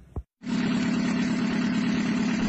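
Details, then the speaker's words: Mitsubishi L300 diesel before rebuild, arriving with thick smoke from the oil filler cap; steady idle with a heavy rushing chuff from the crankcase, blow-by from worn piston rings (gap 5 mm) and cylinder liners. "Dan ini adalah kondisi mesin pada saat mesin belum diperbaiki, belum diturunkan, belum dikolter, belum ganti seker. Datang dengan kondisi asap tebal di tutup isian oli."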